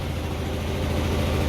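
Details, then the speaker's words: 2004 Hyosung GT250 Comet on a jump pack after carb cleaning, new fuel filter and battery, choke almost fully off, warming up: smooth even low idle with steady pulse, no knocks or misses; normal idle. "we're gonna let it warm up a little bit I've almost got the choke all the way off"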